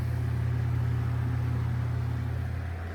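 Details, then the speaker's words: ILG Model 83 8-inch exhaust fan, 4-pole 1550 RPM 115 V motor, after end-play fix, blade fitted: smooth, steady low hum with even flutter, no drumming or knocking; normal fan run. "here we go with the blade [Music] that sounds so much better no more"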